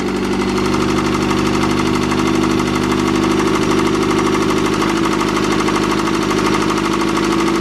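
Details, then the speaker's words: Acura Integra with eBay-turbo B18B, just fitted with new injectors: runs and idles well but a hard, rapid bottom-end hammering knock grows louder with rpm and fades on deceleration, diagnosed as rod knock. "oh yeah and then as it decelerates the knock goes away that's how you know it's a rod knock"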